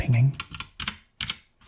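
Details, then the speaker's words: Royal Kludge RK68 65% hot-swap mechanical keyboard: keystrokes clack with a faint metallic ring from vibration of internal metal parts, worst on the F key, damped somewhat on a surface. "pinging is from you know vibration of the metallic components of the board on the inside"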